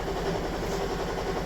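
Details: Toyota Estima Hybrid 2AZ-FXE 2.4L at idle after a 4.5 L oil top-up: slightly uneven, lumpy beat with heavy shaking; random multi-cylinder misfire, mainly cylinder one, with spark plugs and coils being swapped to diagnose.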